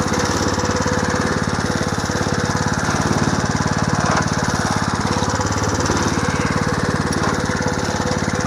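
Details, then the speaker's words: Home-built 1/3 scale mini hay baler as stationary hay press, small engine idled down: steady idle with even thumping about three to four a second, plunger cycling; runs smoothly and healthy. "So what I'm going to do is start this up and idle it down, so I hope you can hear me."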